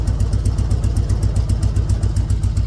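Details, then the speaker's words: 2003 Harley-Davidson Road King in a trailer, after a leaking petcock was replaced and the throttle-tower set screw backed off two turns to cure a high hanging idle: steady, low, lumpy V-twin idle, even, with no knocks or hunting; sounding much better. "I think it's going to sound a lot better when we get it out of the uh trailer hear it now so definitely sounding a lot better"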